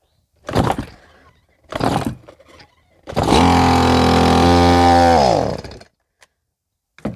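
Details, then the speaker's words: Old unserviced Stihl MS170 chainsaw, two-stroke, after repairs, dry carb priming: two pulls, catches, revs briefly and dies within about three seconds; air leak at aged intake boot not making contact, possibly flooded. "Unfortunately, I could not overcome the leak around that intake boot. Either so much age or heat cycles or whatnot, it's just not making contact right."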